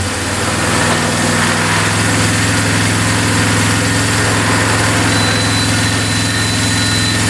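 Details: 2002 Polaris Magnum 325 4x4 ATV, bought not running and needing a carb clean, on first start with no choke after fuel flow to the carb was confirmed. The single-cylinder holds a steady, even idle with no knocking and a beeping battery; sounds healthy.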